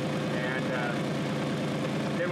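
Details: GMC Safari/Chevy Astro van idling with loud rhythmic puffing and chuffing at the muffler flange, where bolts are missing and exhaust escapes; found while hunting a suspected rear axle bearing noise.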